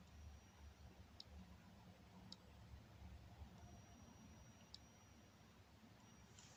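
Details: 48-inch TV with only main board and power board connected, 220 V fed through a series bulb that flashes; faint sharp relay-like clicks every second or two over a quiet hum; board cycles periodically on power-up, owner unsure it's a fault.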